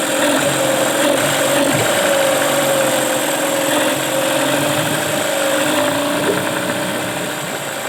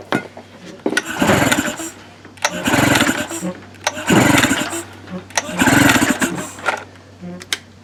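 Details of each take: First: Tracker (Mercury Marine) 9.9 HP outboard back running after sitting a year unused: steady mid-pitched drone with even beat, no knocks or misses, running cleanly. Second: Tracker (Mercury Marine) 9.9HP outboard, unused for a year, cranked with starting fluid sprayed into the carburetor throat: four cranking bursts with brief pops but no catch; spark and compression confirmed, so the problem is fuel/carburetion.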